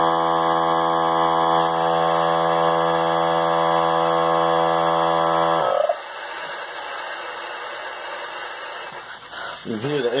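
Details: Central Pneumatic 95275 3-gallon oil-less compressor, 100 psi max, thrift store find after a faulty power switch was found: steady, even motor drone with clean pitch for over five seconds, then cuts off; running normally.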